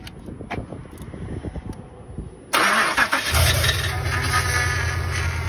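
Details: 2005–08 Pontiac Grand Prix GXP after a power steering pump replacement, fluid refilled: clicking and handling noise, then the engine cranks and catches into a steady, even idle with no pump whine or groan. A normal start.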